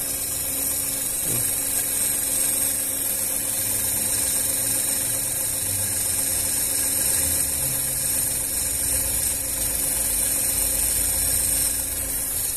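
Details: VW up! TSI after bypassing the cabin heater core hoses, about 15 minutes running: steady, even warm idle hum under constant fan hiss, no knocks or misses; radiator hoses hot, coolant circulating normally.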